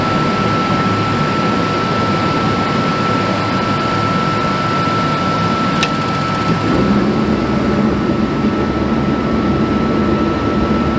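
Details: RV propane furnace whose LP leak detector went off all night, test-fired after the repair with gas and electric reconnected and exhaust now smelling better. Steady blower rush, even high hum and smooth constant burn after ignition: normal furnace operation.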